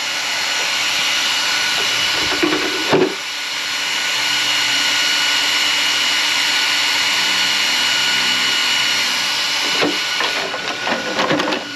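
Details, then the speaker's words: Arrma Outcast 8S RC car with Castle ESC, on first run after rebuild, powered on with one fan tightened: steady, even high-pitched whir from the small cooling fans, no ticking or rubbing, a few handling knocks; fans working normally. "We are green. All the fans are working. I did tighten this one down."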